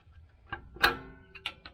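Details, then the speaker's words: 2012 Ford F350 rear drum brake, back plate replacement while troubleshooting brake noise: crisp separate metallic clicks about a third of a second apart as the star wheel is turned with a brake tool, the adjuster spring ratcheting over the teeth. "got this brake tool right here that's what I'm going to use to turn it down with you'll hear it click on that spring"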